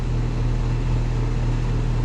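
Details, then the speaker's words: Heavy, steady low hum with a coarse buzzing edge from a home HVAC unit on the third return visit, after heat-strip power and the contactor were already fixed; it sounds rough, and a mechanical failure is suspected but not confirmed. "oh I got to say that sounds rough like like something"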